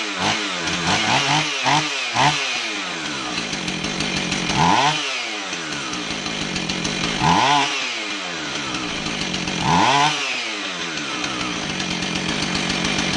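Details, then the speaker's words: Husqvarna 445 chainsaw, previously bogging, after its plugged low-speed carb circuit was cleaned with carb cleaner and the low-speed screw set out 1¾ turns: blips up cleanly and drops back, revving crisply without bogging. "r so it looks like our whole problem was that the low speed circuit was plugged up probably old fuel just starting to turn you know the lows speeed passages are some of the finer smaller passages in a carb so they'd be affected first and uh cleaning it out with some carb cleaner was all it took to get this thing going"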